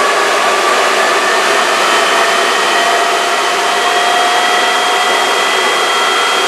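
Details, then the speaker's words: J44 turbojet motored at full starter power after accessory drive restoration, first spin in over two years: smooth, steady high rush of air with faint even tones, no scraping or rubbing; normal motoring. "got it it sounded pretty good on the uh motoring test so i'm pretty satisfied with that"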